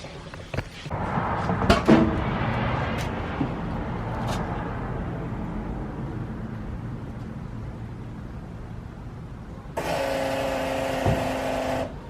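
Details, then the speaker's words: Ford Mustang Foxbody V8 on a cold start, settling to a fast idle with a raspy, ragged chuff underneath; an exhaust leak. "as you can tell you can probably hear that exhaust leak it sounds really nasty i hate when the cars have exhausted sound horrible"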